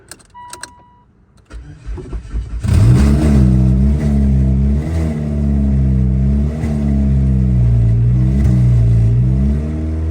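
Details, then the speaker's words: 2016 Mitsubishi Lancer with a newly installed engine after 3 years of sitting; it cranks, catches and revs with a harsh, raw, loud bark rising and falling with throttle because the exhaust is not yet bolted on at the manifold. "The exhaust is not on. The reason it sounds loud because the exhaust does."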